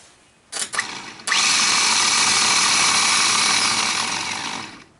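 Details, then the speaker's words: Ford F-150 old starter bench-tested with solenoid bypassed, fed straight from battery: harsh, raspy high whir for about three and a half seconds instead of a smooth torquey hum; starter sounds horrible and worn, replaced with a new one. "sounds kind of bad let's try it again I don't know if you can hear that or not but boy sounds horrible"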